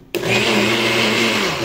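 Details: NutriBullet that wouldn't run when pressed down, now running after the cup is reoriented on its three switches. A sudden start into a smooth, steady high whir that holds an even pitch and eases off at the end; the blender runs normally.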